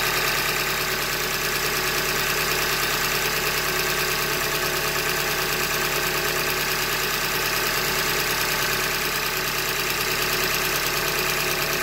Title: 90K - 2015 Hyundai Elantra Limited Engine Knock - Short Block Failure- Manufacture Defect